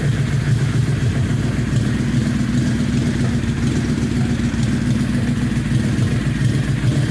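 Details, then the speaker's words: 2004 Yamaha Royal Star Venture 1300 V4 motorcycle with Full Boar slip-on exhaust idling with a steady, deep burble; after the pipe swap the earlier popping and pinging is gone, normal idle. "this is my 2004 rose star venture 1300 switched out the pipes with full bore pipes slip ones rather and now got the popping and the pinging out and they sound sweet"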